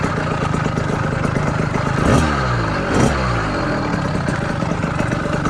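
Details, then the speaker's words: Southern Custom CC Hybrid motorized bicycle with a small two-stroke engine and PZ20 carburetor with the needle clip at a safe setting, on its first ride. Steady idle with short throttle blips, settling back to an even putter without stalling. Normal idle. "I will say, however, I'm pretty impressed. Now that is an idle."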